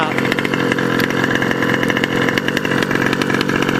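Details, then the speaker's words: OBR 34 reed SS two-stroke engine in a modded 5B race-kit buggy, screaming at high rpm but rough and burbly instead of clean; it sounds blubbery on top, running rich and four-stroking. "so yeah but it sounds a little blubbery on top"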